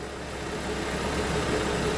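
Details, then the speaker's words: 2013 Toyota Venza 2.7L after engine replacement, driven about 300 miles, clean oil: steady, even idle, no knocking, pinging or ticks, slightly loud from long exhaust manifold runners; normal idle. "Still runs amazing. I will say, because of the exhaust manifold design, these engines are just a tad bit louder than the average vehicle."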